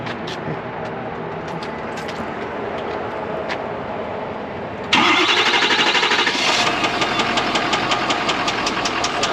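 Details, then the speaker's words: 2014 Ford truck, about 190k, started in the shop: quiet until it fires, then rough idle with a sharp, fairly regular tick about three per second; engine ticking. "yeah she ticks a little bit okay well me fire her up let's see what she sounds like"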